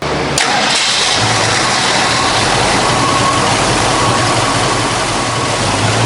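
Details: 1966 Ford Mustang, 289 small-block V8, Edelbrock 1406 carburetor, aluminum intake, 7-blade clutch fan, C-5 automatic, heard with hood open: starter catches quickly, strong steady idle, even low rumble, no knocks or ticks; normal start and idle.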